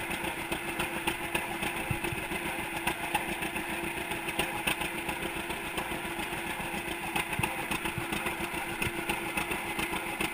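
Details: 1942 John Deere Unstyled A conversion, engine formerly stuck, on its first start after new spark plug wires (GoPro in waterproof case): slow, even two-cylinder putt at steady idle, firing regularly, no knocks or misses; sound engine.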